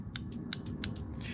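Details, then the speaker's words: Fiat Freemont transmission solenoid, new unit bench-tested with battery voltage (positive left, negative right) while diagnosing P0868 low line pressure / P1745: crisp, clearly audible metallic click each time power is applied, unlike the faint click of the old suspect solenoid. "If I take the new one and if I want to try to hear the clicking negative on the right, positive on the left, a very audible"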